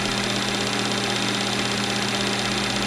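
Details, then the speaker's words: Movie projector after oiling: constant, even whir with fast steady flutter, no catches or drag, running faster; take-up reel still not working. "it sounds a lot better it's going faster now"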